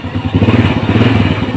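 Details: Honda Grand motorcycle that had no start and dead panel lights, fixed by soldering a broken wire at the ignition switch contact. After the repair it runs normally with a steady low putter, even firing, and no misses or rattles.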